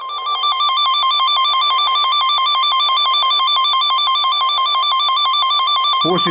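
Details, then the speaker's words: V200 PRO tester tracing a car wire: pulsing, warbling high tone stays steady and loud, then cuts off abruptly near the end, marking the location of the wire break. "the signal fades out, it means there is presumably a break in this place, it subsides, it means there is a break here,"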